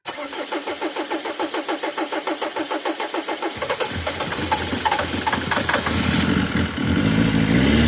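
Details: Mercedes Vito diesel with hard-starting complaint: even cranking about three pulses per second for three seconds, then catches promptly and settles into a steady run. Normal start and idle.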